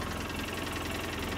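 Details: 2013 Polaris Ranger twin-cylinder after repairing engine code 651 injector misfire with new injector wire harness, battery weak: even, rapid idle with no misses or stumbles, running on both cylinders; healthy.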